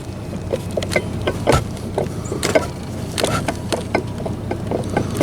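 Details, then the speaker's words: Chevrolet S10 hunting truck's old removed water pump being turned by hand: irregular sharp metallic dinks and dull taps as the loose shaft moves in its worn bearing. The pump was found with shaft play and replaced. "You'll hear it. That dinking noise is the shaft moving. Never had one do that."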